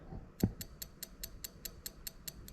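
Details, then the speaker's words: Ignition coil 1 pulsed from an ECUMaster Black ECU output test: crisp, even ticks about five a second, steady and regular; the coil is firing properly. "Just going to pull it up because I can make it loud if I pull the coil up. So if I just gently put the coil on, okay, there you go, that's much louder."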